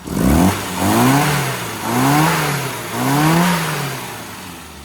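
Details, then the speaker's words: Classic automatic with SU carburettor after road tuning (AAF needle tweaked between 4,000–5,000 RPM, 20 weight SU oil in dash pot): three crisp revs climbing and falling back cleanly, no hesitation or misfire; healthy revving. "Okay, so one of the things you see me doing there on these tunes is give the engine a rev, so you can hear what it sounds like."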